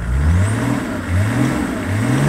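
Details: Land Rover P38 with BMW six-cylinder diesel, engine cool, after new radiator and viscous fan: smooth revs up and down, deep loud exhaust note (exhaust rotted in half), no fan whoosh; healthy.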